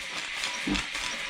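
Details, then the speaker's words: 1950s German engineering-students' steam engine on its first test run since then, fed steam from a DeLonghi coffee machine because its boiler has holes; the cylinder must heat up first. Even chuffing and light clicking under steady hiss; normal running. "It is so big that it takes quite a lot. It kind of fills with water and it has to heat the cylinder first before it will run."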